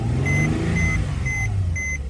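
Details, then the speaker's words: Mercedes-Benz C300 that had no crank, no start with ignition on, after swapping in a replacement relay for the faulty one: starts and settles into a steady, even low hum under a door chime beeping about twice a second; normal start and idle. "I remove another relay and put it there fix it here now I try to start now it's working"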